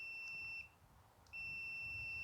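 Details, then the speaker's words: Multimeter continuity test of a push-button lawn tractor safety switch: a clear high steady tone that cuts out briefly and returns when the button is pressed. Continuity beep, switch good. "Okay, that's good. That's all we're looking for, is for it to do something."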